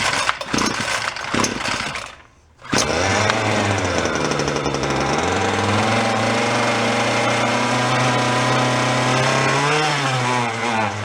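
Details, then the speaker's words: Small two-stroke string trimmer (free roadside find) started on full choke: bursts to life then runs rough with surging, wavering speed; primer bulb seems to suck air, tank half full, owner suspects fuel starvation or a bad fuel line. "may not be enough fuel in it skipping see what happens"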